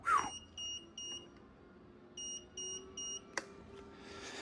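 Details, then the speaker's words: Crash-damaged car with a dead battery, 57,132 miles, jump pack connected; short high beeps in pairs and a triple with pauses, the jump pack warning, suspected about the battery. "Let me just put this jump pack on it. Get a bit of power. Like that. Because that's beeping, it means that battery"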